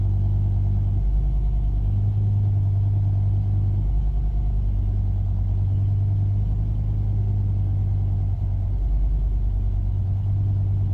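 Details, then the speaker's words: 2005 BMW M5 S85 V10 idling deep and uneven, lumping and stumbling: misfire with engine light and reduced power, engine management cutting injection. "I don't know if you can hear the ref our rough the engine is running"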